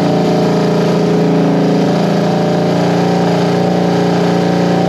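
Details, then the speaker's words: 1973 Honda CB350G twin, after installing a Mikuni VM28 carb kit and reseating one slide, catches and runs: steady, even note with mild rise and fall in revs, healthy. Owner still has a leaky petcock to sort out. "hey guys so there you have it it's a runner"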